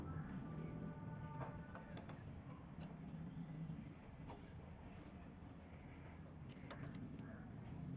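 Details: Bajaj Platina 100 small motorcycle engine idling with a steady low hum and no knocking, birds chirping nearby; normal idle, in context of a camshaft bearing repair for engine noise.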